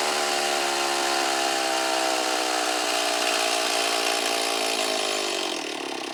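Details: Stihl 024 AV chainsaw with the carburetor internals and boot new, before seal replacement. A high, buzzy scream at full revs, then the speed sags instead of holding a steady idle. Owner suspects the crankcase seals are leaking air.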